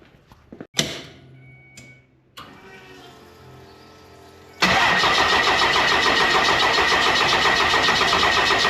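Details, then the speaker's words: Shorty, a truck with a 12-valve Cummins diesel, first start after fitting a larger Smeding 64.5/68 billet turbo (was 62/65): a few clicks and a hesitant crank, then it catches into a steady, even diesel clatter at normal idle. "And but anyways, I'm gonna start it up, see if she'll fire up today."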